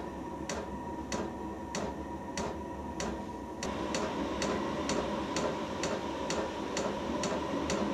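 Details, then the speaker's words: Portable diesel heater on its first-ever firing, bleeding fuel, set to 35: the dosing fuel pump ticks crisply and evenly about twice a second over a soft burner roar; normal fuel pump ticking. "long you'll hear the pump start to tick right you can hear the fuel pump ticking and there's a little picture of the fuel pump there"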